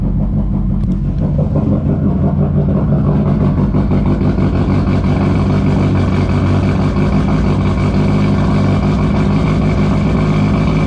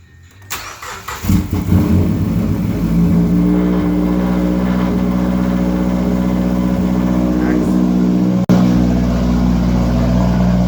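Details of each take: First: Mazdaspeed 3 with a methanol injection nozzle/check valve leaking meth into the throttle body, before fitting a cutoff solenoid: loud, lumpy, choppy idle at startup that smooths once the meth burns off; fuel-system-too-rich and random misfire codes. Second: Mazdaspeed 3 with AEM methanol injection, after installing a methanol solenoid and refilling meth/water following nozzle/check valve failure: engine catches after brief crank and settles into steady, smooth idle with no misses; idles much better than before (previous fuel-system-too-rich codes).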